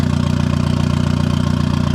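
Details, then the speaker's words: Turbo Miata with hood-dump turbo exhaust, first start after clutch and flywheel install: steady, even idle with quick regular pulse and no knocks or misses; good AFR and oil pressure, running healthy. "The hood dump really isn't that loud. I mean, that's idle, of course."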